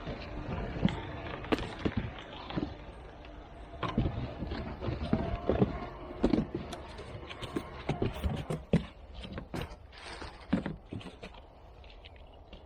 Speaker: Let's see if it works. A little bit too wide. There it goes. Shredding up nicely.